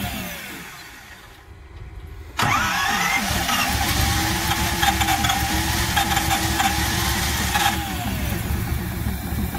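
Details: 1969 Ford C700 truck, 330ci V8, cold start after nearly nine months sitting, after fixing poor cables: catches abruptly into a steady rumbling idle with rising air compressor noise: normal cold start.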